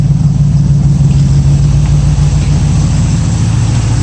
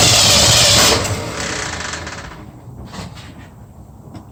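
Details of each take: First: 1965 Mustang V8 hot idle around 190° with electric fan running and aluminium radiator fitted: deep, steady even exhaust pulse, no stumbles or misses; carburettor not the best but no smoke when hot, sounds good. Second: 1965 Mustang on a test Holley carburettor: catches, sags almost to a stall, then surges back rough and lumpy, running on only about four cylinders; owner suspects fuel starvation from a bad carb (maybe not fuelling both sides), not confirmed.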